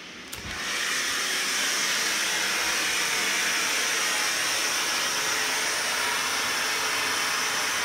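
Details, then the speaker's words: 2008 Kohler K9 steam generator (model 1659) after repair for error 5, pipes re-soldered: a click, then steady even hiss of boiling steam without sputtering or surging; working, no leaks. "seems like it's boiling there's no leak here there's no leak anywhere i hear the steam i don't necessarily see anything leaking here"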